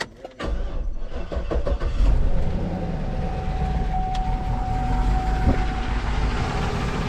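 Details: Cadillac Escalade bought via Facebook that broke down on the Pennsylvania turnpike, owner feared the engine blew. It is started up to check for drips: cranks, catches after about two seconds and settles into a steady, even idle with no knocks or misses.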